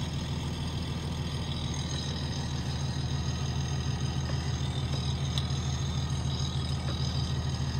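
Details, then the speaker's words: 4th-gen single-cab Cummins diesel at idle with a dual-disc clutch and an aftermarket extended Ohio Diesel shifter: steady low chug with a loose, buzzy rattle from the shifter on each engine pulse. "What I do not like about it is it rattles like crazy. I'll start the truck up and you can hear it. Turn the radio off. Hear how much it rattles, especially with my dual disc clutch."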